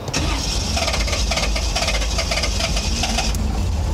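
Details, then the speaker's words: 1988 Formula 350 with new Dynomax Super Turbo exhaust: churning crank, then catches into lumpy uneven idle; owner cites a known fuel issue and plans to tear apart intake; a rattle also noted. "and of course there's that feel issue we've been talking about that we're going to have to fix and if it'll start for me yeah we'll see here give it a second"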